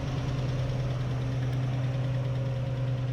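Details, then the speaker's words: Neglected old car engine being revived and fuelled to run: steady idle with a light, quick tick about three per second over the engine hum, a valvetrain tick; owner suspects a bent lifter, not confirmed. "no it does have a tick to it but might be a bent lifter or something all right she's idling"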